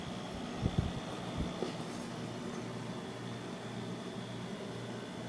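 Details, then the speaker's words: Vintage 1991 window air conditioner on lowest fan setting: only a soft even hum and faint airflow, no rattles or whine, almost inaudible; normal fan on low. "almost can't hear it listen it sounds awesome okay back to hi this thing works perfectly from 1991 perfect pure perfect"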